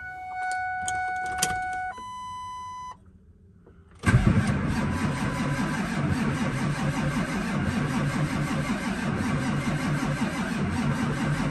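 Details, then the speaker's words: Ford F550 7.3L Powerstroke diesel, cold, long parked after running very rough: chimes, then a steady crank for several seconds that never catches; glow plugs jumped, fuses good but no fuel activity, suspected injector driver, high-pressure oil or compression issue. "there's nothing worse than starting a will it start video with the hopes of getting something started at the end of the day having to walk away without hearing that engine run"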